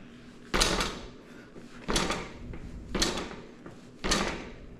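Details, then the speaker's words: Mountain bike drop test after loosening steerer tube bolts, tightening the headset, then retightening the steerer bolts: four dull thuds with no metallic rattle from the front end; headset tight, no play, noise gone. "Okay, I don't hear that headset noise anymore. All fixed."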